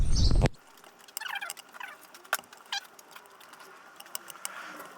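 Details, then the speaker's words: Coal-and-wood steam-raising fire at first light, heating the boiler water before lubricating; after a short loud knock, irregular quiet pops and crackles show the fire burning well and running fine. "You can hear the crackle, that means the fire is running fine and getting on with its heating the water."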